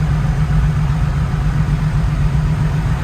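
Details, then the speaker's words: 1979 Beech V35B Bonanza, Continental IO550, after first start on new ElectroAir EA21000 electronic ignition with magneto then switched on: deep steady low idle rumble, even pulse, nothing knocking; healthy idle on both ignitions. "We started on the electronic ignition, folks. Yes, we did. One-handed even."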